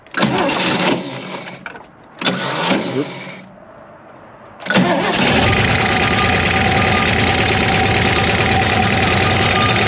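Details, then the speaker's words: Chevrolet 1960 Corvair, revived after sitting in a Kansas field since 1991, oil warmed: two cranking tries, then a fast, busy idle with light quick ticking, lifter tick; the owner hopes lighter oil will quiet it. "I'm gonna try this again tomorrow until maybe I can maybe get some of those lifters to quiet down"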